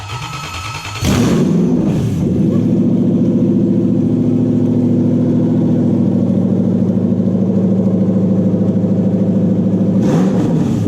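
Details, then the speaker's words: Toyota 1UZ-FE V8 (UCF20) in a Daimler, after repairing a badly miswired engine loom: catches after a brief crank, settles into an even, steady run with no misses; normal running, sounding much healthier. "oh well so that mode is sounding much healthier now"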